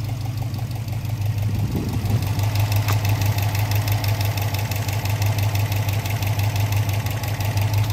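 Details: Subaru Impreza WRX boxer, fully warm after about an hour running, passenger side: low uneven burble and burping with faint knock near three a second, suspected from cylinder 1 or 3; owner asks if piston slap; knocking at idle.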